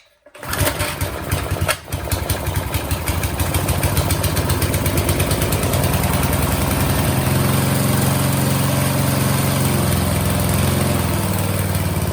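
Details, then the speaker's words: Briggs and Stratton single-cylinder engine on an old McLane lawn edger, blade belt off, after a carburetor mixture-screw tweak toward rich: starts and settles into a slightly lumpy, burbling steady run with smoke from the exhaust; running too rich. "Too rich, maybe? Ooh. Oh, look, see that smoke coming out? Too rich."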